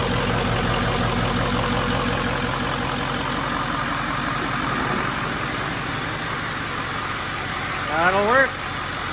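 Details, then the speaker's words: 6.0L Power Stroke diesel swapped into a 1974 Ford crew cab on a 2006 F350 chassis, started after priming drained fuel lines and fitting a new battery: even, steady idle clatter with no misses or knocks; normal. "perfect that actually works pretty slick the little fuel thing take that as a win"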